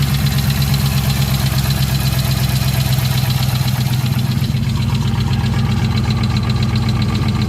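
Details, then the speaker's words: 2020 Dodge Charger 6.4L at idle: uneven tapping about four times a second under the valve cover, front of engine, possibly cylinder 2 but unconfirmed; engine knock at idle. "And here we have a noise coming from the engine. And it sounds like it's somewhere in the front area. Maybe cylinder 2."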